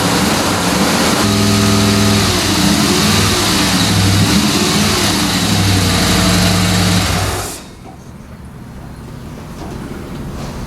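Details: 1970s Dodge Tradesman 4x4 van, freshly rebuilt 318 V8, start after swap and after correcting distributor wires: fires up, runs smoothly, revs cleanly several times, shuts off around 7.5 seconds.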